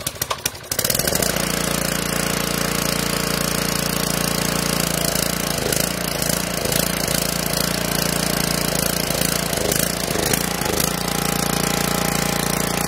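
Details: Karcher pressure washer with OHV Briggs engine after carb rebuild, tune-up and fuel line/shut-off replacement, previously ran only on choke: brief crank then catches and holds a fast, steady run with no misses or hunting; starts and runs fine.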